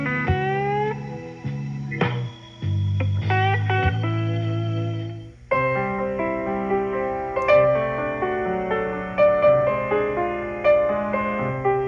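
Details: GE A-70 radio after recapping, resistor and wiring replacement, and a new cone fitted to the electrodynamic speaker that had distorted audio: music plays clean and full with clear highs and bass, no buzz or rattle; speaker healthy.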